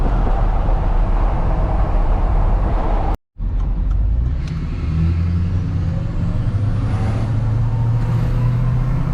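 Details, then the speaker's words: Diesel truck on 33x12.50 AMP Terrain Attack mud tires, coasting off throttle under a bridge: steady low road rumble with a soft tread hum; mud tires running quiet and normal. "about to go under a bridge here and you can hear the tires a little better when you're slowing down like off the throttle so i'll try to get a clip of that"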